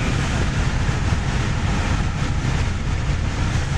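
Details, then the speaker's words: Jeep WJ Grand Cherokee test drive for stalling complaint: deep even engine roar pulling steadily to 3,000 rpm with no stumble or cut-out; accelerates fine, no stall, though it surges at 50 and worse at low speed, fuel issue suspected. "It accelerates fine. It hasn't stalled yet."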